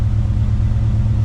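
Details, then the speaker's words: Chevy C10 with carbureted 454 big block, carburetor and jets just cleaned, 63 psi seen: deep, steady low rumble with an even beat, no misses or knocks; idling smoothly, responsive. "It is purring. Dude, I just saw 63 PSI, but listen to this thing, watch. Oh my God, the response is like that. Oh my God, all the gauges are working. Oh man, she's idling."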